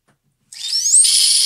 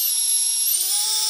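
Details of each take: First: Micro quadcopter brushless motor spun without props from the Betaflight motors tab: thin high whine that climbs, holds and drops, with a gritty rasp through it. Worn bearings, which are then replaced with bearings from a donor motor. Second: Micro quadcopter brushless motor after bearing replacement, spun with props off at no more than half throttle: smooth, very high, steady whir rising slightly in pitch, with no grit or rattle. Normal motor run.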